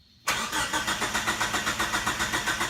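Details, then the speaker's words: Mitsubishi Mighty Max with 4G63 swap, first start attempt: steady starter churn, about five compression beats a second, no firing; starter engages flywheel correctly, suspected not getting fuel. "The engine does crank, and you can see the timing wheels turn, which means that the starter does connect to the flywheel correctly, which I wasn't so sure about, but those work. Unfortunately, it's not firing, and I believe it's not getting fuel b"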